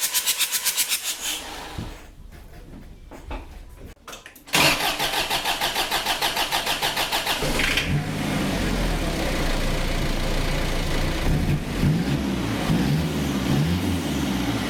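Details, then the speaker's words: Ford Courier WL-T diesel with hard cold starting, glow plugs removed for diagnosis, cranking: quick, even whirr with soft, shallow pulses and no firing; no compression with the glow plug holes open. "I'm gonna have to put those back at glow plugs back in just to get compression back and to show you what I mean I'll crank it over with no glow plugs"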